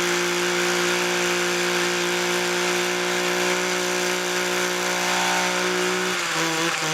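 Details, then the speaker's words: Homelite two-stroke chainsaw or trimmer, started on choke after about six pulls: holds a high buzzing rev, then drops and stumbles, smoking heavily; rough running, owner suspects rich mixture, dirty carburetor or wrong fuel mix. "whoo little smokey um i'm gonna say she's running a little rich or something"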